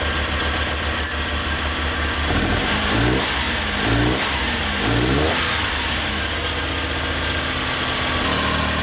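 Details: Flood-submerged Suzuki Cappuccino 3-cylinder turbo after tapping the stuck injector free: steady, even idle with quick throttle blips rising and settling cleanly, all cylinders firing; normal idle.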